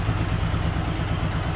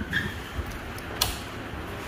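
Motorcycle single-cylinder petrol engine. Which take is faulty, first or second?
second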